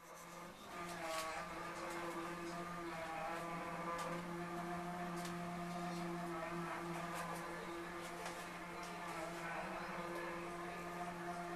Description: A strange noise developed in a wall by the stove which got progressively worse over the next 48 hours.